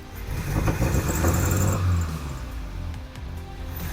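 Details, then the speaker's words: 1984 Toyota Hilux 4x4 carburetted petrol, just after new spark plugs and fuel filter, previously wouldn't idle and stalled: starter cranks briefly, engine catches and settles into a fairly even idle, no fuel leaks. Normal engine start. "car can't see any fuel leaks very good I'll just let it idle for a sec"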